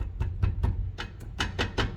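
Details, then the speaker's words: Nissan Sentra, 180,000 km, rear brake caliper with wheel off: sharp irregular knocks four or five a second over low rumble as caliper moves on its bracket; guide pins worn loose, mimics suspension noise on rough roads. "ó tá escutando esse barulho galera é a pinça em cima do cavalete aqui se mexendo esses parafusos guias aqui estão com folga"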